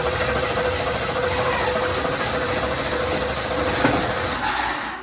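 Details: 1987 Camaro Z28, long-stored carbureted car: starter whirs evenly with no catch; spark verified, runs only on sprayed fuel, fuel pump builds no pressure, tank found empty, fuel starvation.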